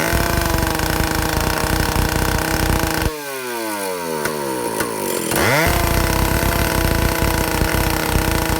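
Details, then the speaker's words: Vintage Stihl chainsaw (051/075/076, spec 9,000–10,000 RPM) after air-leak and fuel-system repair, high-speed needle tuning aiming for 3/4–1 turn open; peaks about 9,400 RPM. Clean, steady full-throttle scream, drops off and picks straight back up without bogging; running healthy. "So um I can get this saw when I go clockwise counterclockwise clockwise counterclockwise I can get it to peak out at about 9400 RPM."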